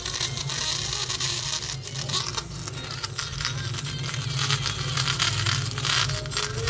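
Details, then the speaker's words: Samsung phone loudspeaker giving harsh crackling, torn-sounding fuzz over the whole playback with no clean tone at volume, before repairing it rather than replacing; distorted phone loudspeaker. "Friend, आज हमारे पास एक Samsung का phone है और इसमें loud speaker है, वो बहुत फटी फटी आवाज़ दे रहा है।"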